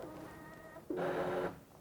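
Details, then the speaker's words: Espresso machine grinder on the right hopper, adjusted finer; it whirs briefly and smoothly while adjusting so the burrs don't jam, steady pitch with no catching or rattling, normal operation. "you'll notice the grinder will turn on as it adjusts the grinds so what it's doing there is making sure that the birds don't Jam as it's pushing beans through"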